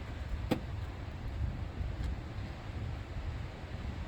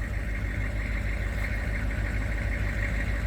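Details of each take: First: 1996 K2500 6.5 turbo diesel after fuel line repair: long steady cranking churn, about four beats a second, never catches while trying to push fuel through after opening the bleed hole; air in the fuel system prevents starting. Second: 1996 K2500 6.5 turbo diesel after fuel line repair and bleeding the air out: steady, even diesel clatter at idle with no stumble or popping; back up and running normally.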